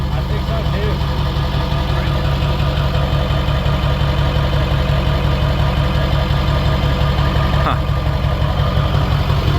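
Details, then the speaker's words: Ford 7.3 Powerstroke diesel, first start after KC300X turbo install with new stack and replaced oil cooler, on a 42° day: deep steady idle with even low rumble, no ticks, knocks or exhaust puffing; sounds better, possibly quieter, normal idle. "Well, first start. That sounds better. I think it's I think it's quieter."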